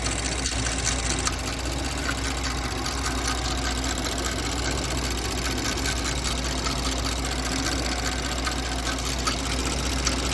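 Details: 2024 Porsche Macan S after spark plug replacement: petrol engine idles steadily with a quick, light sewing-machine-like ticking running through it.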